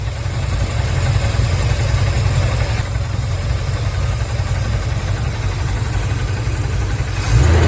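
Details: 1983 Chevy Silverado V8, fuel pump first suspected and found leaking: deep, uneven knocking under a rough idle, not tied to valve rhythm, from a cracked flexplate.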